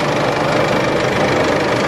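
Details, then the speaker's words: Isuzu D-Max diesel tow rig at idle just after DIY service including fuel filter change and priming: steady, even clatter with no stumbles or hunting, running smoother than before, no leaks or warning lights; normal idle. "Sounds like it's running a whole lot smoother now, which is nice."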